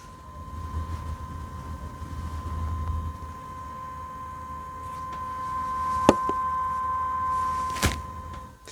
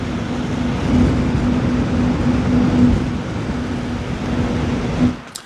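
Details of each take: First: Thermalright Grand Vision 360mm AIO liquid cooler with the pump at 100% speed: a steady high-pitched whine near 1 kHz, while at 50% the pump is barely audible; the pump sits near the tube at the end of the radiator. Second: Thermalright Grand Vision 360mm AIO liquid cooler with fans at 100% speed: a loud, steady rush of air with a low hum underneath, normal but rather loud.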